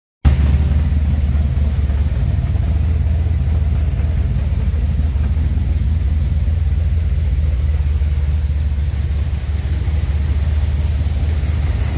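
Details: Freshly installed blueprint 383 V8 with a new header gasket over a small exhaust leak: deep, even rumble, steady with no puffing or ticking from the exhaust; healthy, settled normal idle.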